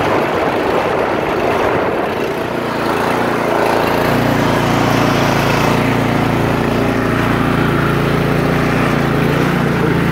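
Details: 2017 Troy-Bilt Storm 2410 two-stage snowblower, started with throttle, choke, a few primes and key: short rough start, then a steady, even drone with no misses or knocks. Healthy running engine.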